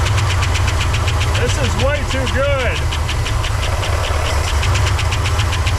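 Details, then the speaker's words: 1964 Oldsmobile 98, first start after years sitting, old fuel, carburetor bowl filled by hand: slow idle around 600 rpm with lumpy, uneven exhaust pulse; runs rough after sitting. "is it just going to run at like 600 RPMs yeah I guess so"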